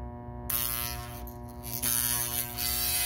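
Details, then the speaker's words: Generator armature tested on a growler with a hacksaw blade: loud steady mains buzz with a rattling chatter as the magnetized blade vibrates against the laminations; the armature windings are shorted. "you can hear it and you can see it's magnetizing holding on to it and you can hear how it's vibrating so this is a definitely a bad Armature"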